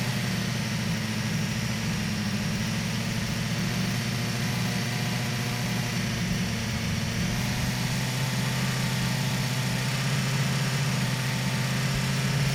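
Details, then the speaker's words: BMW S1000XR: even engine hum with a light fast tick on top; normal valvetrain ticking, worry only if increasingly loud above 4,000 rpm. "If your bike is ticking 3,000 to 4,000, you're good. That's normal, especially when it's hot. It's fine. Your bike's not broken."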